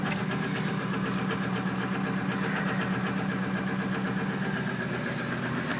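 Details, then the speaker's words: 2006 Ford F-350 cold start at -11°C after glow plug cycle: fires right up into a steady loud idle with uneven chug about four pulses a second, sounding unhappy only when very cold; cause not confirmed; rough cold idle. "Doesn't sound very happy, which fires right up."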